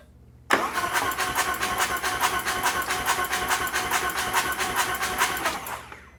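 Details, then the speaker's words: Custom Harley-Davidson chopper engine cranking to build oil pressure with none yet: steady rapid ticking over the non-firing engine, owner suspects a soft lifter not yet pumped up with oil. "Just building a little oil pressure. Here's some ticking in there. Sounds like I've got a soft lifter already."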